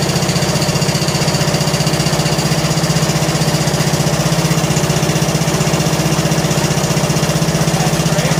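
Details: John Deere L100 lawn tractor single-cylinder engine, long sat, just started cold: fast even ticking about four a second at idle, loudest cold; valve lash noise that fades as it warms and when revved; valves need adjusting.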